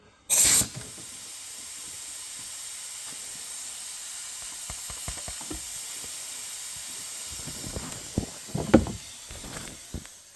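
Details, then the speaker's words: 2017 Kia Soul 1.6 GDI non-turbo leakdown test, piston at TDC, 90 psi: short air blast then steady faint hiss; intake valves stuck open in a gummed-up valve train, plus slight ring blow-by at the breather. "But I'd say our main issue is our intake valves are clearly stuck open."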